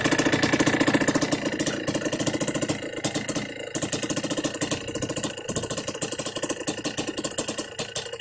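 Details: Yamaha Blaster 200cc two-stroke ATV with FMF pipe, after needle change, clip and pilot screw richer adjustment: crisp even idle popping about three to four beats a second, no stumbling; normal idle.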